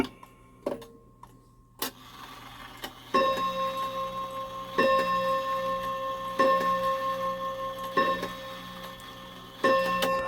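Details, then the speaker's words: Shanghai 555 clock after repair, hung temporarily and level; ticking with a run of dull, uneven bell strikes, chime hammers still need adjusting: poor bell tone. "Okay, I think I got it fixed. Don't like the sound of those bells yet."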